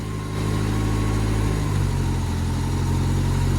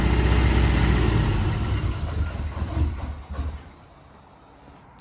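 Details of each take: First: Ford Escort RS Turbo S2 engine after overhaul and new number-one spark plug, warm; steady idle picking up cleanly on a light rev, no stumble or miss, running smooth on all cylinders. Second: Ford Escort RS Turbo S2 barn find, first start after engine overhaul with new cam followers: quiet but lumpy idle with a regular stumble before dying, running on only three cylinders, a missing lead suspected.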